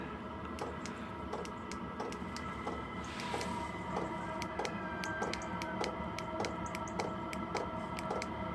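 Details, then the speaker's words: Diesel heater on an allotment, battery powered, having reached temperature and dropped into economy mode: sharp, evenly spaced fuel-pump ticks about 1.5–2 per second over a faint hum; normal economy-mode ticking. "and as I'm doing this you can hear pump picking up again it knows I want more power"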